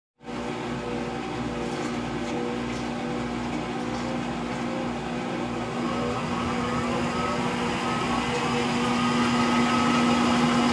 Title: Frigidaire Gallery Front Load Washer model GLTF1670AS1 Final Spin (Bad Motor Bearings) Video 2